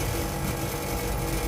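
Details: Panasonic 2hp air conditioner compressor after replacing the faulty capacitor (before, it kept kicking and would not run, only the fan was heard): steady, even low drone with fan rush, no clicking or stalling; compressor starts and runs normally.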